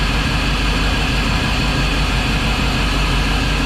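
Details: Volvo Penta 5.7 DP SX-M marine V8 that shakes and runs badly, dead on one cylinder. Uneven, lumpy idle at about three pulses a second, like one cylinder missing.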